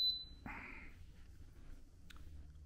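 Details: Five-year-old Instant Pot, first power-up after replacing the pressure sensor behind a C6 error: one short high-pitched beep on plugging in, then quiet with no repeating error pattern; powers up normally.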